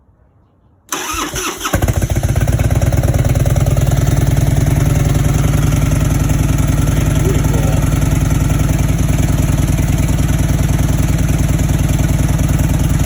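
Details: 1997 Harley Road King Evo, first start after rebuild (cylinders bored .005 over, stock replacement pistons, base gaskets, valve job), loose temporary exhaust: brief crank, fires within a second, loud deep even potato-potato idle with no knocks.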